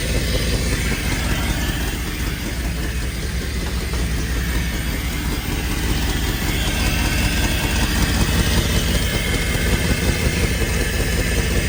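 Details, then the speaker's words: 1995 Pontiac Firebird Formula with Corvette LT1 V8 swap, after exhaust repair: steady V8 idle with a soft uneven puffing tick under the rumble; much quieter than before but a small exhaust leak remains. "all right so it's a lot quieter than it was but it's not perfect it's still got a small exhaust leak"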